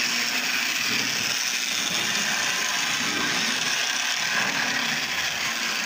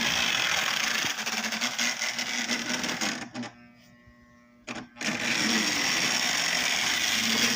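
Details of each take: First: Lionel Tie Jector with its brushes put back in and reassembled gives a steady, high-pitched electric whir with light, even mechanical chatter and no catching or stalling; the motor and mechanism run normally again. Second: Lionel Tie-Jector on brand-new track with still-dirty wheels: the motor hums and rattles steadily, then cuts out for over a second and resumes, from a track continuity problem.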